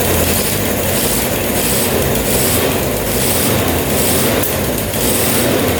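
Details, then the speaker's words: 1979 Suzuki LT500 Quadzilla quad with 750cc swap, new battery, after fixing a pulled-out coil wire sparking on the engine: steady even running without misses or crackle; normal running. "all right that sounds a lot better"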